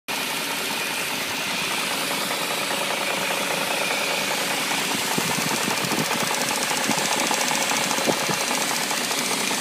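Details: BMW 740i engine at idle with a light, irregular ticking and rattle over a bright, hissy running note. The cause is unclear and only suspected, not confirmed.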